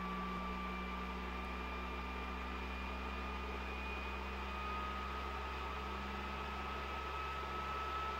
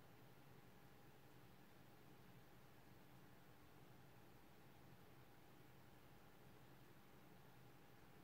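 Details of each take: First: PS4 Pro CUH-7016B before cleaning, in the multiplayer menu: a loud steady jet-like whoosh with a high whine, about 60 dB. The fan is racing from heavy dust on the heatsink and dried thermal paste. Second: PS4 Pro CUH-7016B after dust removal and new Noctua thermal paste, in the multiplayer menu: only a faint, steady airy hiss with a low hum, about 35 dB, versus 60 dB before. The fan runs quietly.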